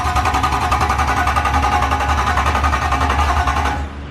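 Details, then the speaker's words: BMW E34 swapped with E46 M3 S54 engine, first crank with no exhaust manifold fitted and fuel pump fuse out; fast, strong, even starter chug about 3.5 beats a second, no firing. Normal cranking. "that's a healthy crank that's a healthy crank dude that sounds so weird without the manifold on there"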